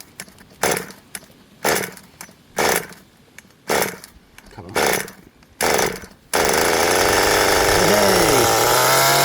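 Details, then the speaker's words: Restored 20-year-old HPI Nitro Rush Evo nitro buggy, new glow plug and fuel, first start, possibly flooded, throttle trim raised: about six cranking bursts a second apart, then catches into loud raspy burbling buzz; sounds rich, not yet at temperature. "Running a bit rich by the sound of things."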